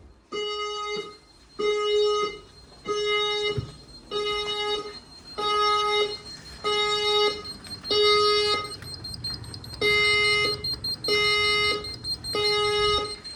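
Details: Newly installed F220 house fire alarm system, set off by a smoke test on a detector. Clean repeating tone bursts about one a second with short gaps, plus a voice message: evacuate the building using the nearest fire exit. Sounder working properly.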